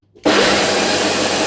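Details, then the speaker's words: Bosch ARM 37 lawn mower motor: spins up to a harsh gritty rushing noise with rough rattling; motor poorly centred, failed ball bearing, to be replaced. "oh there's a problem it doesn't align very well at the center of this okay and that's why it's doing this sound"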